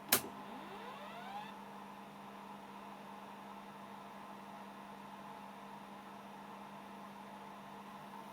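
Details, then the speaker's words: Telefunken 900M (rebadged 1982 JVC HR-C3) portable VHS-C deck on 12 V bench supply: small motor whines up and hums, owner thinks the heads, but tape does not load, no loading clunks; stop button light then flashes and deck locks up. "I can hear a Mot running I think it's the heads um but that tape's not loading and now got this flashing light on the stop button and it won't do anything now until I turn it off and back on again"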